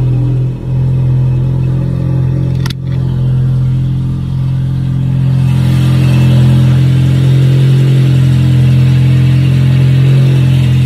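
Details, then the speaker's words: VW Passat 1.8T with newly installed CTS turbo downpipe, intake and JB4 tune, cold start in garage: loud idle with faint slow rise-and-fall pulse, heard but not visible on the tach, recent up-and-down revving on cold starts, cause unknown; cold start idle surge. "Sounds kind of crazy. I've got a little bit of a pulse to my idle as well. I can hear it more than I can see it."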